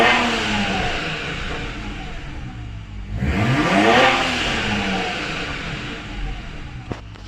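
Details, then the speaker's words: Car upgraded to hybrid turbos: revs up and drops with fluttering chatter on throttle close; blow-off valve spring too stiff, causing compressor surge that shortens turbo life. "basically what's happening on this vehicle is that the blow-off valve spring is too hard for the car itself after we've upgraded to the hybrid turbos"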